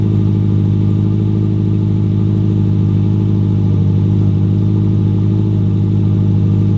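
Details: Built Subaru WRX STI first start after fuel line fix, on jump start: steady, even low engine drone with a smooth regular beat and no knocks or misses; engine running cleanly.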